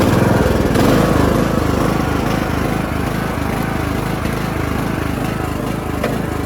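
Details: Bolens riding mower engine (diesel fuel had been put in), on full choke then raised throttle: loud, raspy, pulsing exhaust beat, noisier than normal; suspected exhaust leak.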